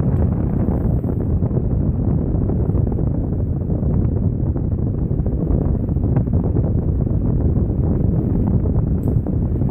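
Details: Vintage Patton high-velocity air circulator fan, after replacing armature spacers and lubricating the motor, blade and cover refitted: steady loud rush of air with even low roar, no ticking, rubbing or wobble; runs smoothly.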